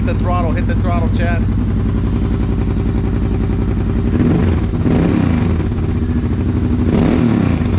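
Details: Kawasaki Brute Force 750 ATV with a newly installed BigGun Evo aftermarket exhaust, throttle blips: deep, loud, throaty burble that swells and drops with each blip; engine pulls clean with no misfire.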